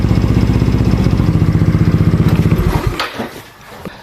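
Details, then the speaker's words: Single-cylinder motorcycle with a 59 bore that was hard to start (old 4-year battery dropped to 10 V when cranking) gets a new battery; first start thumps steadily and evenly, then shuts off. Normal running. "Testing. First start yung okay na ulit."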